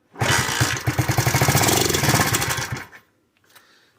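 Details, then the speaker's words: KC Pep Boys pit bike that sat 3+ years, started on carb cleaner squirted in as starting fluid: it catches, rattles unevenly for about 2.5 s, then dies. The owner suspects a fuel delivery problem. Fuel starvation. "Died out on us. I guess half choke it, see if it'll start. And say if it fired up, it's probably a fuel delivery problem at this point."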